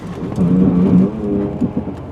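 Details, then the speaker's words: 2001 Chevy Blazer LS 2-door during a hard stop on a test drive: brief low buzzing growl with pulsing, fading as the vehicle halts, steering wheel jiggling; ABS pump activating normally. "I could hear the ABS pump activating and you see the wheel did a little bit of a jiggle dance thing like that supposed to do that that's actually a really good sign because what that says is that it's got anti-lock brakes"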